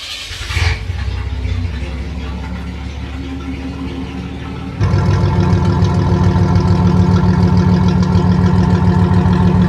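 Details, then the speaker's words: 1985 Chevy Celebrity 2.8 V6 at idle before muffler replacement: a loud, raw, unmuffled exhaust roar that jumps louder midway. Blown muffler, with a possible manifold leak as the alternative. Blown muffler. "alright well then if your vehicle sounds like something like that or close to it then you probably mean a muffler or you've got a big boss manifold leak or something like that along those lines"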